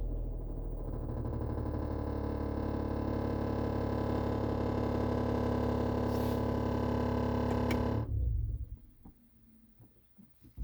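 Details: 2022 GMC Yukon SLT Duramax diesel at idle: dense buzzy rattle behind the glove box, occasional while driving and idling, quieter when revved, louder again at lower rpm, then cuts out leaving cabin clicks.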